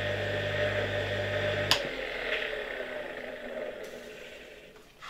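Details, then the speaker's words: 1958 Croatia single-phase motor (converted grinder), reassembled after teardown: steady hum, sharp metallic click as the rotor-mounted centrifugal switch opens the circuit, then soft rubbing hiss as contacts touch again during coast-down; normal centrifugal switch operation. "Najpierw jest takie metaliczne kliknięcie, kiedy ten wyłącznik rozłącza obwód, a potem jak już silnik zwalnia, słychać taki szum, jak już znowu te styki tutaj o siebie obcierają."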